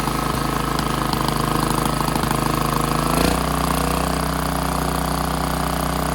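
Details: Generator engine after tightening the choke and adjusting governed idle, aiming for about 61.5 Hz: steady, even drone with a fixed pitch and a small bump partway; settles into a normal governed run.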